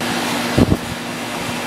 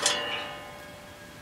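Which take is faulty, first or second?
second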